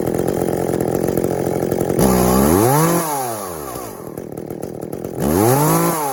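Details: Echo CS400 chainsaw after OEM oil pump replacement (stripped plastic gears): revs up crisply and drops back to a steady idle without bogging; carb tuned from boggy, could use a bit more (limiters still in); oiling well, normal running.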